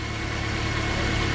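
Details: Car with a new alternator, idling on the alternator alone with the battery disconnected at about 14–15 V. Steady, smooth low hum with no misses, knocks or surges: normal idle.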